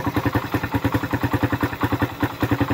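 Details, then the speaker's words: Suzuki Raider 150 single-cylinder at idle, which overheated after running without oil and damaged its spark plug. It now starts easily with fresh oil but has a sharp metallic clatter about six per second from oil-starvation damage. "So madali na siyang paandarin gawa ng may langis na. Ayan oh. Mali na siya paandarin. Pero maingay ang makina."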